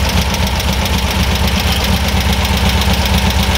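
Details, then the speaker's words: Air-cooled VW/Porsche dual-carburetor engine, freshly rebuilt bus motor on first start, warming up: even, steady idle with smooth low thrum, no stumble or misfire; idle now balanced between the two carburetors, reading about five, slightly fast. "now we know that our idle is pretty much balanced between the two carburetors"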